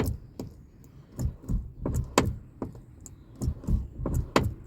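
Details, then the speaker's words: Car with about 140,000 miles, original rusty door check strap refitted with WD-40 and grease: soft low clunk at the stop on each door swing, quieter than before but still present; worn check strap clunk, to be replaced. "sound is still there, but it's not as bad as it was before. So but anyway, I'm going to change it. I don't like that sound."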